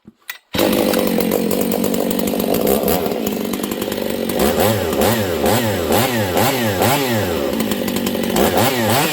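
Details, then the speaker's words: Husqvarna 272/268/266/61-chassis chainsaw running super lean even with high jet turned out another quarter turn; starts easily but surges and screams at high revs. Lean running from an air leak, suspected at crank seal. "it should be way too rich right now but it's not all right listen it goes okay that's dangerous if you were running this saw like that you'd probably pop it so we have a fueling issue"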